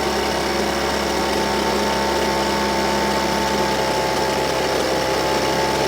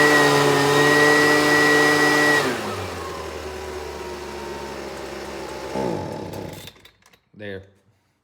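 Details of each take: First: Husqvarna 125BV blower, which bogged at full throttle, after turning the low jet from 1 1/4 to 1 1/2 turns and raising the idle: constant, steady-pitched two-stroke buzz with no surging or dying; normal idle. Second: Husqvarna 125BV two-stroke, started on choke and run indoors: a steady high buzz drops sharply when the throttle is opened, labours lower and dies within seconds, bogging; a tune-up and carburetor cleaning are planned, cause unconfirmed.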